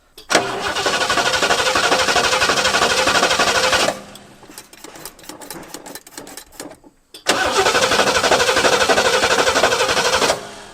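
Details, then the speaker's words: 1971 Lincoln Continental Mark III, last run three months ago: the starter cranks steadily at about four turns a second, stops, then cranks again, but it never catches. No spark found. "all right doesn't seem like we have any spark"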